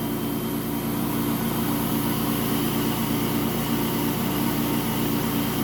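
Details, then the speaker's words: Electric 110 V pressure washer, roughly 2000 PSI, running after its leaking wand/handle was repaired: steady even motor hum with smooth spray hiss, no surging or pulsing, no leakage; normal running. "There we go. See that? No leakage."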